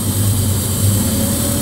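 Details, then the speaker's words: 1970 Chevelle V8 just after Holley Terminator EFI install, first start: deep even burble at steady fast warm-up idle with no misses or stumbles; started quickly and very smooth while ECU learns toward operating temperature. "Wow that was pretty sweet, now what we're going to do is we're going to let this thing get up to operating temperature, give the computer a few minutes to learn some of the basics here, and I can't believe how smooth this thing is, how quickly it started up."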